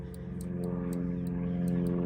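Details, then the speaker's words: 1989 Bayliner Capri with OMC Cobra sterndrive, engine running while shifting into reverse: about seven sharp, slightly uneven ticks, roughly three a second, over steady engine hum; misadjusted shift cable rests on the shift interrupter kill switch, killing the motor so reverse won't engage. "drive or reverse it bumps this little kill switch to briefly kill the motor for a second there it is you can see that"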